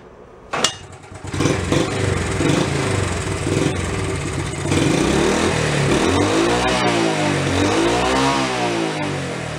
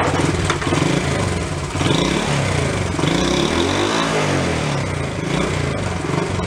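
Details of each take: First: Nearly 50-year-old Honda Trail 70 after new points, valve and timing chain adjustment, camshaft and flywheel repair: starts, revs rise and fall smoothly and evenly with no misses; slightly smoky, timing chain clacking noted; normal revving. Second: Worn Honda Trail 70 barn find, started without choke before repair: uneven, clattery run with revs surging and sagging; rough running, cleaner burning off suspected, needs full tune-up.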